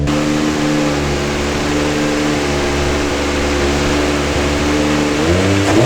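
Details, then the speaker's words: R32 Nissan Skyline swapped to a 1JZ with an HKS T3G twin turbo, first runs: steady fast idle, then revs climb slowly and lazily when blipped; a soft default throttle map dulls the response. "that is a hella lazy throttle I know it's like on default mode but wow"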